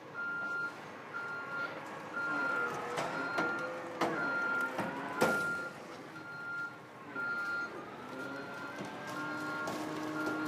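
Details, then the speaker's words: Lorry-mounted HIAB crane lifting at maximum capacity in extra-power mode: short high-pitched beeps about once a second over hydraulic working noise; crane load limit warning beep. "i don't know if you can hear the beating that beeping noise is to say that the crane is right on max now"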